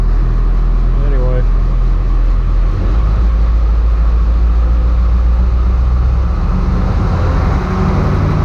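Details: IH 1700 truck, diesel V8 the owner believes is a DV550 (maybe 550B), just started in the morning with no preheat, oil pressure coming up: deep, heavy diesel rumble holding steady at idle with no misfires or knocking. Normal idle.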